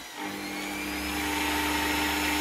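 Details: Salvaged universal washing-machine motor (up to 17,000 rpm) built into a drum sander with an added speed regulator: winds up quickly to a steady clean hum, holds evenly, no rattle or surging; speed regulation correct, running healthy.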